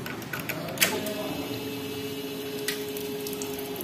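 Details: Hero HF Deluxe BS6 that stalls while riding and won't start, fuel pump tested with tank and pipeline open: steady mid-pitched hum for about three seconds, then a clean cutoff. Normal fuel pump priming.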